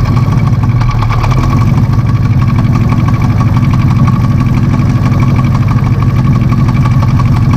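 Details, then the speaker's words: 1968 Shelby GT500 KR with 428 Cobra Jet after a muffler tune for loud exhaust, idling in the garage: a deep, even burble with a steady pulse and no ticks or blowing leaks. The exhaust sounds healthy. "it seems to have the same sound on idle in the garage but we're gonna find out how it is outside"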